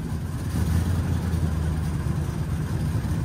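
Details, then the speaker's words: Classic Leyland Martian recovery truck with a V80 engine, just delivered, idling: a deep, steady low rumble with even firing and no knocks or misses; it sounds healthy. "sounds well for a V80."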